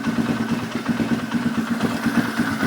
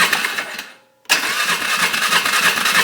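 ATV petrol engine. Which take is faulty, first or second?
second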